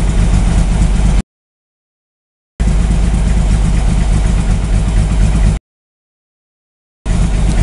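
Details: VW drag engine 2276cc, FK-89 cam, 12.5:1 CR, 91 pump gas, Megasquirt 3 coil-on-plug, cold at about 44°F, started without throttle: raised steady idle with even low thrum, no misses or knocks; normal cold-start fast idle.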